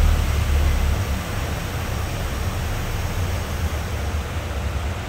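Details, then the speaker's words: Brand-new Rotec R2800 radial for a Kitfox, test run: deep even roar with heavy low rumble and steady prop wash, no misses or knocks; the run went really well. "uh yeah that engine run went really well"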